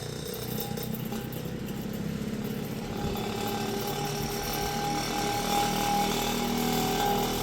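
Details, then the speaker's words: Vintage Kenmore fan, first power-up after purchase, before repair: rising motor hum under a continuous rattling buzz while spinning up, shaking noticeably; vibration and odd noises stop once at full speed, which is fast. "They weren't lying about it running fast. There it goes. And once it gets up to speed, it quits vibrating and doing weird noises."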